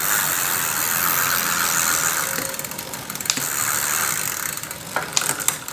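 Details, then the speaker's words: Bicycle rear freewheel after repair, tested on left and right sides: light fast ratchet ticking as the wheel coasts, no grinding or odd noises; freewheel normal. "Ini dia kalau dari sisi sebelah kanan kita tes oke sudah normal ya teman-teman"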